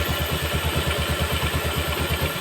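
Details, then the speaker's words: Yamaha Jupiter MX motorcycle after piston and connecting rod replacement, idling during break-in: steady even idle thump with cooling fan whirring, no knock or rattle, smoke gone; smooth healthy idle. "halus suaranya ini kipasnya dia berputar itu [Musik] kopling juga [Musik] halus berasepnya sudah hilang sudah enggak berasep [Musik] lagi"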